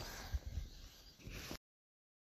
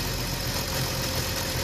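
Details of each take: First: BMW petrol engine (M54/N52 breather video): a steady high-pitched whine held constant over the running engine with no clear change in pitch. The cause of the engine whine is not stated. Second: BMW M54 petrol engine at idle with a new crankcase breather fitted, dipstick tube blocked off: an even, steady idle with no slurping. The breather is holding vacuum properly.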